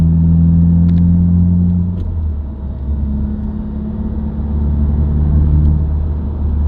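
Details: New-generation Subaru WRX, recorded inside the cabin while driving: deep steady humming drone that rises in pitch with road speed, independent of revs and gear, even out of gear with clutch in. Dealer-diagnosed broken centre-diff viscous coupler, recorded before repair.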